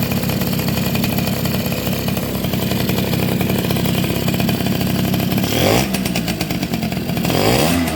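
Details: Two-stroke motorcycle (Suzuki RC110 / Yamaha Y100 type) after replacing hardened, internally leaking crankcase seal: quick, even crackling beat with a couple of short throttle blips, settling to normal idle.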